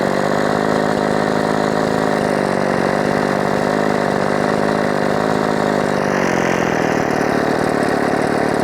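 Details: Husqvarna 357XP chainsaw in the cut after carb and port work: high buzzy two-stroke scream that shifts pitch, running poorly; an air leak is suspected though the parts are all new, cause not confirmed.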